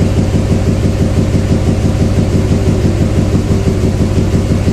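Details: 2007 Duramax LMM diesel idling with a steady rough beat, about two uneven pulses a second, a significant misfire; no communication with any controller, known high-speed CAN wiring fault, owner suspects valve train problem.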